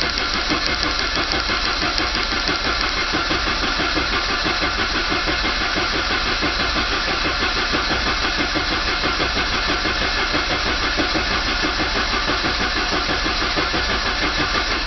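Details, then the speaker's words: 1985 Saab 900 turbo after oil pump and pressure relief valve removed to clear a steel piece, pump primed with grease; steady, even cranking about three beats a second with no firing, spinning over to build oil pressure. "I'm going to crank it over first until I get pressure anyways see what happens"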